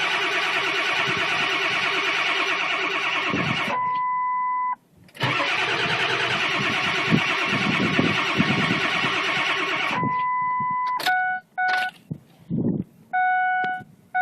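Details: Ford 7.3 Powerstroke after new glow plug relay, glow plugs and batteries, plugged in about five hours, about 30 degrees out: two long steady cranking runs with a fast even beat that never catch, then chimes; cranks but won't start.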